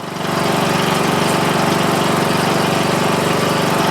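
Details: Murray Select 14.5 HP 42-inch lawn tractor, after starter motor and stator replacement and valve adjustment, headlights disconnected, charging at 13.47 V: even single-cylinder putter at about four beats a second, no misses or knocks; normal running.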